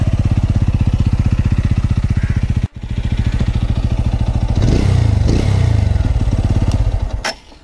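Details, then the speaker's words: TVS Apache motorcycle engine idling fully hot: fast, even thumping idle with a light tick on each beat, then a throttle blip and fade. The tick appears only when warm, not when cold; cause unclear. "सो आपने सुना guys ये थोड़ी टिक टिक की आवाज़ है। अभी आपने सुनी इंजन की आवाज़ कैसी है।"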